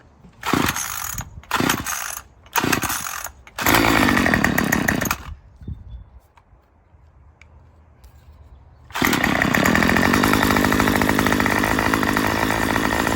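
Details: Murray M2500 trimmer after new carburetor kit and fuel lines: short revving bursts sag and die, then rough steady run; still bogs, owner suspects mixture needs adjusting with supplied tool; lean high-speed mixture bog.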